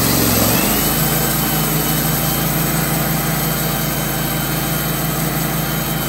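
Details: Wood-Mizer LT15/LT40 sawmill after bearing replacement, shaft polishing and refitted belts: engine fires up into an even, steady drone with no grinding or rumble from the wheels. Normal running.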